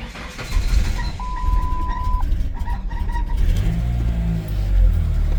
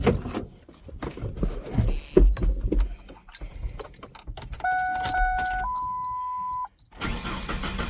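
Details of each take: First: 1999 Ford Ranger 2.5L four-cylinder with a high idle fault, after replacing the temperature sensor: it cranks, catches quickly and idles smoothly with no surging. The high idle is fixed, though the idle may need a small adjustment. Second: 1999 Ford Ranger 2.5-litre 4-cylinder, cold start: warning chimes, brief crank, then the engine races at an unusually high steady idle, which drops after 15–20 minutes of driving. Owner suspects a computer issue; the fix was replacing the temperature sensor.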